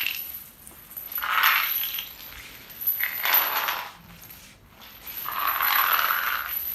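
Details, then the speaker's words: Chain dragged over tiles in a hospital janitorial storage and chemical preparation area before overcoating: some passes ring hollower than solid areas, even where tiles look sealed; drummy tiles debonded, possibly where tile glue set the falls. "there's areas that sound solid and then there's areas that even though they actually look sealed as other tiles are intact you can hear that it's hollow"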